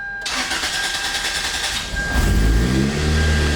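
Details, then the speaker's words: After an oil change (about 4.7 quarts) and tightening the turbo downpipe to stop an exhaust leak, the car cranks for about two seconds with clicking before it catches. It then settles to a smooth, even idle with no ticking. "There we go. It seems to want to click over a bunch before it starts. It sounds good though, so let's go ahead and reset the trip."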